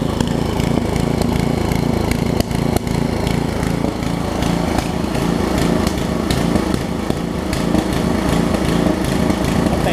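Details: Craftsman 17-inch rear-tine tiller with 5hp horizontal Briggs engine, probably 1990s, runs at a steady, fast, even putter with no misses or surging after cleaning and a new carb diaphragm; a tiny fuel leak remains.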